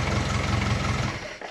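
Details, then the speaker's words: Classic Mini after replacing brake booster with internal fault that caused honking, brakes bled, firm pedal: engine runs briefly with even note then shuts off, no honk; brake booster working normally. "we've put a new brake booster in there we've confirmed that running the vehicle has rectified the problem so we've pretty much fixed it"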